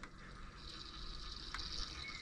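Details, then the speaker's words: Car coolant circuit being refilled after hoses reconnected, water leaking inside; soft watery gurgling, bubbling and strong hissing; gurgling in heater circuit, owner concludes the heater core is damaged. "słychać tam jakieś bulgoty dziwne odgłosy"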